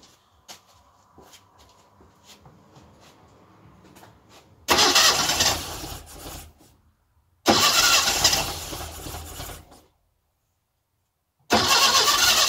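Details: Classic Mini first engine start after tappet adjustment, timing corrected and distributor tweaked, good compression, little fuel in carb: quiet ticking, then cranking catches and fires; normal first start.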